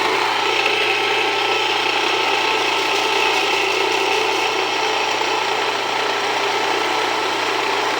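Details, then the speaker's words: Jiffy Precision Mill, US-made electric steel burr grain grinder, with the burrs set very fine; high grinding rasp with uneven strained churn as grain feeds slowly, grain not wanting to go through; setting backed off; mill labouring on too-fine burr setting. "Now, a little bit slower. Yeah, I backed off just a little bit cuz it looks like not really wanting to go through."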